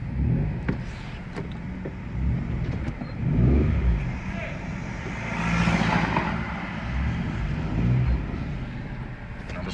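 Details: Citroen C1 1.0 (Toyota Aygo/Peugeot 107) after replacing a seized, clicking outer CV joint and boot. Driven on full lock, only engine note rising and falling with road noise, no rhythmic clicking; outer CV joint now quiet.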